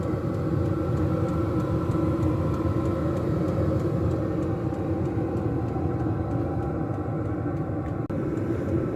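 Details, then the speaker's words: Diesel air heater in a box, pumping hot air into a house: steady even low roar from exhaust and turbine with a faint regular fuel-pump tick and no surging. Running normally. "You hear the roar from the exhaust and the turbine going round, the ticking, and the heat coming out."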